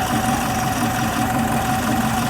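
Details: Type 4 VW 2056cc engine with 96mm big bore cylinders, fresh rebuild, idling after rubbing fix: constant mid hum, no misses, ticks or knocks. Runs really smooth.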